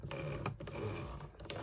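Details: Transformer-powered reverser on 1952 American Flyer "The Arrow" S gauge set (287 locomotive), reassembled and centred: quiet even "voot voot" buzzing pulses, showing reverser properly engaged and working.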